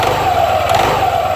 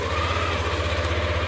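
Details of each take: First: Yamaha NMAX/Aerox 155 scooter, CVT with clean parts: on pull-away a shuddering low pulse runs under the steady drive whine; clutch judder from weak, loose CVT clutch springs. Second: Yamaha NMAX/Aerox 155 scooter after a CVT service to cure judder and add power: idles, then revs up smoothly and the drive pulls cleanly with no shudder or rattle under load; the transmission sounds healthy.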